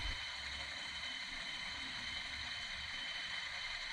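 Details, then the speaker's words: 1998 Lexus LS400 1UZ-FE, engine just run, during power steering pump replacement: hand-spun pulley, possibly the tensioner, gives a steady gritty hiss and whir as it coasts; its bearing is drying out. "Yeah. That's kind of loud. That's kind of loud. So the bearing in there is drying out."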